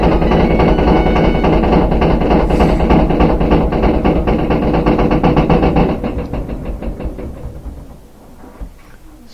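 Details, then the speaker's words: Front-load washing machine spinning empty: heavy uneven banging and rumble from the back, too much vibration for an empty drum, easing as it slows; noise may vanish at certain rpm; worn rear tub bearing. "you can hear the bangings coming from the back it's louder and louder kind of banging around like that if it's empty you shouldn't be getting that much vibration but that's how you know you have a bad rear bearing"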